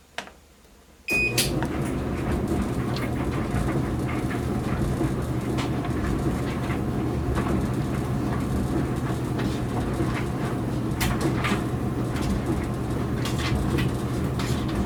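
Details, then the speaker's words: Whirlpool Duet dryer after fix of a stuck idle pulley (oiled shaft as temporary repair): starts and settles into a smooth, steady hum and tumble; loud squeaking and grinding gone, normal operation. "No more loud squeaking and grinding noise. It's gone."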